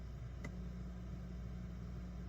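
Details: Steady low mains hum with a single click: ground loop between two guitar amplifiers fed from a dual-output Rickenbacker 4003 bass (Rick-O-Sound), hum vanishing when one amp's earth ground is lifted and returning when reconnected.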